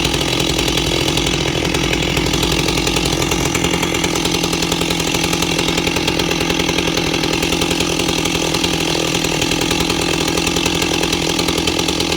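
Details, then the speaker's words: Ported Stihl 028 Wood Boss chainsaw idling steady around 2400–2600 rpm, loud busy two-stroke burble drifting only slightly, no surging or bogging. Normal idle. "You can clearly hear it's at idle. It's around 2600 RPM, 24 to 26, back and forth."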